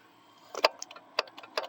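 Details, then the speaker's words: Carbureted vehicle confirmed to need a new starter solenoid and fuel pump, engine off: quick, uneven bursts of light ticking as the electric fuel pump is triggered rapidly by hand, pumping fuel to prime the carburetor. "if I do that right there really, really fast, it's pumping. It's supposed to pump the fuel just by me holding the start button when it's supposed to be when that's unplugged, but I guess it really doesn't matter."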